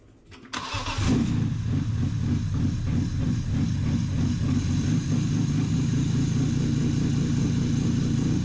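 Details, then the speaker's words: BMW E46 M3 SMG Touring, cold first start after a VANOS refresh, with fresh 10W-60 oil and a section added after the header: uneven, choppy idle while the engine relearns its timing. "the engine is a little choppy right now because it's the first time starting uh it's had a Vanos system refresh so it's figuring out the timing"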